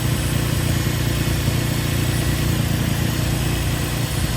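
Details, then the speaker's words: Nissan 350Z drift car restarted while still warm: a loud, throaty idle with a steady low pulse and no valve chatter. Normal idle, though the gauge later reads 0 oil pressure. "Watch this video later on, but I don't really hear any chatter."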